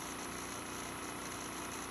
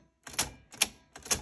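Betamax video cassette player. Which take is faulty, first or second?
second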